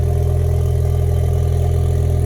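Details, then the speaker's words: 2016 EcoBoost Mustang from auction, new engine tuned on E85 with a big turbo, first start after kill switch found: smooth, deep, even idle with steady low rumble, no misses, knocks or smoke; clean idle. "Oh. Nice. Let it chill. Let it warm up. Oh, that sounds really good, boys. No smoke."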